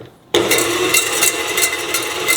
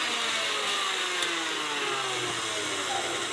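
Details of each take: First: Repaired KitchenAid stand mixer running with a penny in the bowl as a head-height test: bright, rapid scraping and rattling as the beater knocks the coin around. The head may sit too low and need raising via the rear set screw. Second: KitchenAid stand mixer after teardown, grease replacement, gear cleaning and speed selector adjustment: steady, even motor hum with smooth pitch glides as speed changes, no knocking or grinding, running normally.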